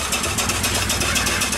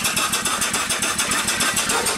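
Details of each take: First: Upright steam engine that sat for years, after repair, running on 25 psi steam: quick, regular slapping beats over the chuff that keep pace with speed. Two different belts with a twist are hitting each other; the owner can live with it. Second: Upright steam engine that sat for years, after repair, running on 25 psi steam: even, rapid chuffing at about eight beats a second, steady in rhythm and strength, not running too fast. It runs smoothly.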